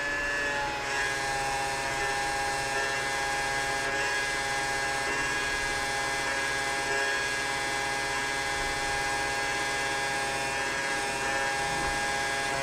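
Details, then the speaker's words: LG front-load washer-dryer with a jury-rigged drain pump, draining at the 15-minute mark: steady, high-pitched electric whir with a constant hum. The pump runs evenly and pumps out normally. "so as you can see I'm draining it now because [Laughter] once it hits 15 minutes that means it's time to drain"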